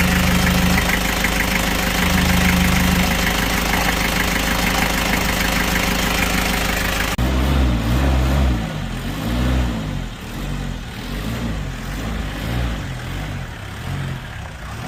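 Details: Kia Bongo Frontier 3.0 JT diesel idling with a rough rhythmic deep knock about three times a second under the rattle, then other noise takes over; also overheating (no shroud), low power, black smoke, bad injectors; overhaul due, knock cause unknown.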